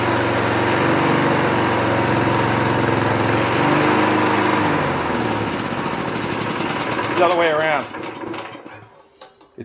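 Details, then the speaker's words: 1960s Roof push mower, no air cleaner: lumpy, uneven beat about four pulses a second that wavers then dies off; running rough, owner suspects too rich, unconfirmed. "I think it's getting too rich. Too much fuel."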